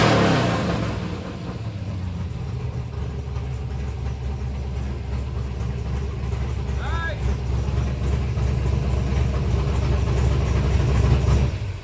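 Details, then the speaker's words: 1964 Ford Fairlane V8 with modified dual carburetors, cold, not yet warmed up: rumble climbs and holds strong without stumbling or bogging, revving freely; normal free revving. "It's not even warmed up yet. >> It sounds good, though. >> That revved up about 45 herz."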